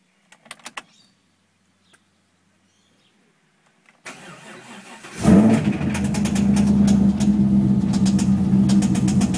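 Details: 6L V8 (L76) Holden Thunder ute cranks, starts and idles with a steady knock about four times a second; the noise appeared the day after purchase and its cause is unknown.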